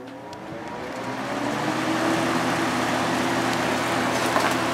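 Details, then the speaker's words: 1983–84 Lasko box fan on high, likely with many hours on a motor repaired with adhesive: a steady, pronounced motor hum resonating through the single-piece motor mount and frame, with an even air whoosh and no scraping; it runs normally. "you can really hear that hum on the ones with the single piece motor mount it just resonates through the entire frame"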